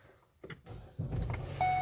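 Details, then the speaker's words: Ford Escape that won't start after the owner's new 2019 Ford truck is locked, started before locking: brief crank, quick catch and a smooth steady idle with a chime; normal start. "starts just fine no problem everything's good"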